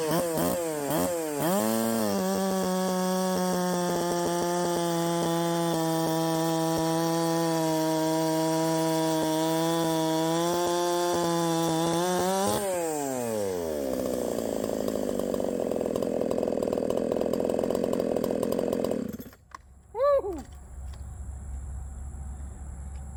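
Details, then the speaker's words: 372XP clone chainsaw at full throttle cutting wood, with faint popping, then dropping to idle. The ignition is slightly over-advanced: it was advanced by one full key width and run with the key removed. "okay I still have a little bit too much timing in there you still hear it popping"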